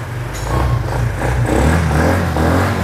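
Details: Suzuki Impulse 125 fuel-injected scooter: small single revs up and settles with a clean, even beat and no knocks or rattles; normal running.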